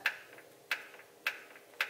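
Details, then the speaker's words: Truck with Holley Terminator X, keyed on, trans brake bump set to duty-cycle creep: four crisp clicks about half a second apart in a quiet cab as the trans brake solenoid actuates and slowly releases pressure; normal. "you heard that little that's the selenoid actuating and it slowly releases pressure"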